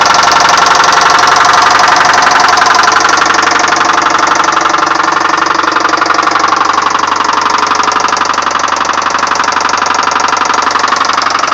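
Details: 1999 Subaru Forester with 101k miles: deep, steady knock about three times a second under the engine note, rod knock; engine to be replaced.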